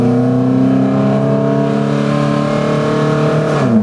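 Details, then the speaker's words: Toyota Highlander with clogged catalytic converters, catalytic oxygen sensor unplugged and air box opened, driven; a loud droning note under throttle drops at a shift, engine bogs and shifts poorly, restriction suspected. "Boy, it's loud too."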